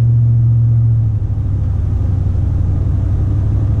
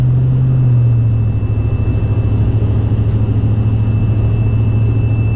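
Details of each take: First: 2004 Silverado with 50-inch curved roof LED light bar after sealant fix, driving at 40 mph: only steady low road and engine rumble, no whistle; the previous light bar wind whistle is gone. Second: 2004 Silverado with a 50-inch curved LED light bar on the roof, driving at speed: thin, steady high-pitched whistle over road and engine rumble, changing tone with speed and fading when wind hits at an angle; light bar wind whistle.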